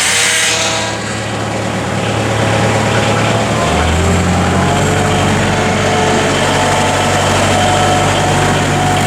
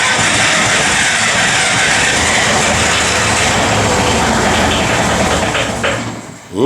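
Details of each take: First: Bobcat 743 diesel after glow plug replacement, fuel lines bled with some air possibly left, extra glow time: catches after a brief crank and settles into a steady, even idle with no misses or knocks. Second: Bobcat 743 diesel after glow plug replacement and re-bleeding the fuel lines; long steady cranking that almost catches but never runs before the starter drops off. Owner suspects air still in the lines; it later started after more glow plug heat.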